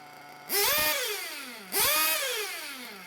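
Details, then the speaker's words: Nitro RC engine being tuned from a rich setting, low-speed needle leaned and idle gap reduced; two blips where the scream climbs slowly and sags, not revving up crisply, so the high-speed needle is then leaned: rich high-speed needle. "not quite revving up so i leaned that high-speed needle just there"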